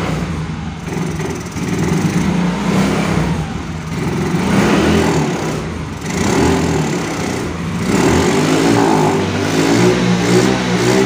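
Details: Yamaha Mio Soul GT scooter that dies when throttled, no MIL code or scanner reading: surges and revs in uneven bursts only with petrol added at the air filter intake, falling back between pulls; confirmed weak fuel injector.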